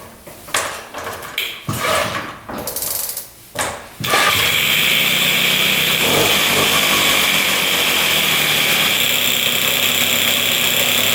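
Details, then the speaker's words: 1978 Puch two-stroke moped, revived after old fuel drained; sharp throttle blips then a clean, steady high-pitched rev to full revs without stumbling, no leaks, running healthy. "But yeah, she uh she sounds pretty good. Revving out completely, too."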